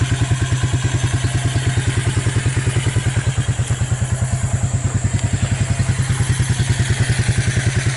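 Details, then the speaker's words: Abandoned Suzuki KingQuad 300 4x4 single-cylinder, first cold start on choke after Mikuni to Keihin clone carburetor conversion: low, fairly even thumping idle about three pulses a second; running properly, shows potential. "I like that it sounds like she's got potential"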